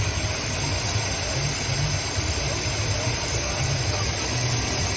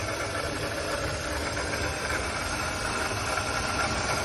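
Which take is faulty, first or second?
second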